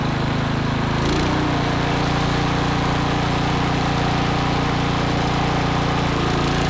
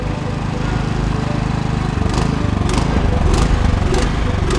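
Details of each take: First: Troy-Bilt Vortex 2890 snowblower, started cold on full choke after carburetor cleaning: smooth, even, steady run with no surging or hunting. Fixed; the low-idle screw passage, plugged solid, likely from unstabilized fuel, had caused the surge. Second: Troy-Bilt Vortex 2890 snowblower sat without fuel stabilizer: small petrol engine idles unevenly with a rhythmic pulsing surge; from a clogged low-idle carburetor jet, before cleaning.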